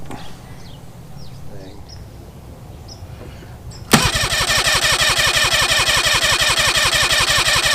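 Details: 1993 Mariner 40 hp 40C two-stroke outboard, good spark and timing around 30-35 degrees: choppy, pulsing run about three beats a second, running a cylinder short; dead cylinder suspected from reeds or rings, head removal planned.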